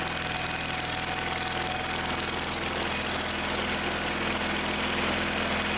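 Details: Old Simplicity tractor that wouldn't start, after carb/fuel fitting work, cranked on choke: steady even idle with fast regular beat, no misses or knocks, running on its own; some gas leaking from a fitting.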